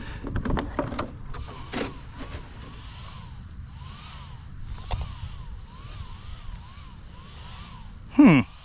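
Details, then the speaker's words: Traxxas Maxx Slash RC truck with Hobbywing Max 6 combo on Sledgehammer belted tires; the small cooling fans' whirr swells and fades about twice a second, so they pulse instead of getting full power. "Interesting. I can hear the fans pulsing. They're not getting full power."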